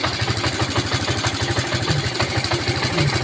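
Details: Honda C90 single converted from battery ignition to battery-free CDI with original coil pack: even, soft puttering at roughly three beats a second, no misses or knocks; idling cleanly.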